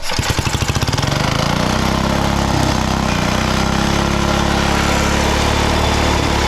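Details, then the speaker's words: Original engine of a 1960s Trojan mini tractor, refitted on the tractor: catches after a few quick pulls, then idles with a slightly hunting beat. Wants more fuel and runs only with the choke on; governor setup uncertain. "just needs a bit more fuel wants to run with the choke on"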